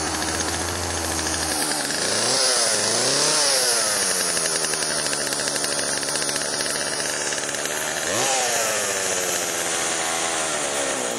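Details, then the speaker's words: Chainsaw after Texas ice storm, refueled with chain lube added and a priming squirt into cylinder via spark plug hole: crisp high two-stroke buzz revs up cleanly and drops to steady idle; sounds healthy with good compression. "i'm pretty sure this one's going to crank all right there you go all right well that's a good sign"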